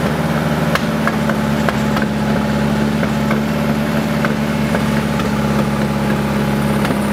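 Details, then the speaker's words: Big-turbo VW MK5 2.0T startup after an Audi TTRS low-pressure fuel pump and custom cooling piping install, in a garage; uneven, lumpy idle with irregular ticks and stumbles over a steady hum, turbo spinning; rough running. "If it were like running 100% properly, it would sound pretty good. Like the sound it makes is not bad."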